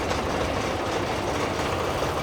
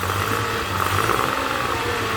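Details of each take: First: Honda 30 outboard idling roughly with cylinder compression of 12, 12 and 11.5 kg/cm2, carburetors cleaned but not yet tuned, normal oil pressure: an indistinct knock underneath, which disappears with the lower unit removed; lower unit gear knock. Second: Honda 30 outboard after repair, carburetors cleaned: steady even idle, no knocks, cooling and thermostat working; running normally.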